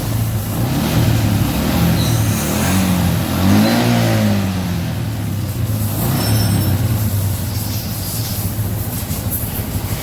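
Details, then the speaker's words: Yamaha Jupiter MX New with new battery, during charging check while revving: engine rises smoothly in pitch on the throttle blip and settles back, steady and even; charging fine; normal revving. "Now it's on, but it's off at 1430. Try starting it. Well, that's it. It's charging fine."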